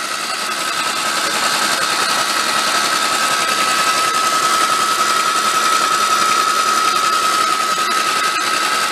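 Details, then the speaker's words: 1953 MG TD parked 45 years, cranked with valve cover off checking for oil flow: smooth steady starter whir, no clacking; engine spins freely, normal cranking, oil flow achieved. "sounds good no clacking like to see if we get some oil coming"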